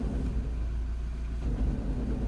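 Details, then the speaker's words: Peugeot Partner van with a worn, picked-up front wheel bearing, engine idling in 5th then 3rd gear as the clutch is let up, heard from inside the van: deep, rough, steady rumbling growl louder than the engine. Front wheel bearing noise. "It sounds awful."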